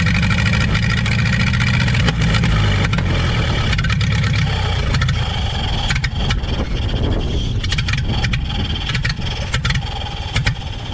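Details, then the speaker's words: 1930 Ford Model AA Doodle Bug truck, four-cylinder, abandoned in the woods 72 years, started with good spark and compression: catches and runs with a loose, uneven chuff and some rev changes; running again after sitting, sounds real good. "there we go we got the old doodlebug up and running after she'd been abandoned in the woods for 72 years she runs like the day she was parked she sounds real good"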